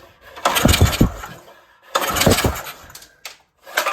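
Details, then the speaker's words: Compression test cranking the original small engine on a $200 log splitter, choke and throttle open: two slow bursts with weak, even puffs and no firing, air blowing out the carb; very low compression, likely from a leaking intake valve. "But, uh, yeah, it's looking like this thing has a intake valve issue. That would explain the no compression."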